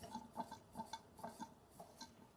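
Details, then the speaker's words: Bing 10/110 poppet-valve steam engine on its original burner, heard at the chimney while warming before full pressure: soft, uneven, stumbling chuffs as the last condensation clears from the cylinder. Sputtering from cylinder condensation at warm-up. "It's not quite out yet. Come on, girl. Really, she wants to. Oh, come on, girl. Get that last bit of condensation out."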